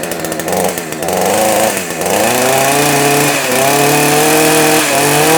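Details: Proyama PCS62 chainsaw after carburetor removal, intake boot check and tightening possibly loose intake boot and carburetor bolts: fires and revs up, pitch climbing then holding steady with clean even firing; normal running.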